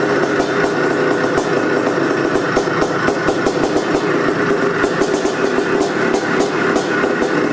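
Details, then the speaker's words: 1984 Can-Am MX500 Rotax two-stroke ice racer, sat for years, carburetor body faulty, original pipe with aftermarket silencer. First kick-start in years: sharp, popping idle with hard thumps, settling into a normal idle. "It runs. And it sounds thirsty. There it is, folks. MX500."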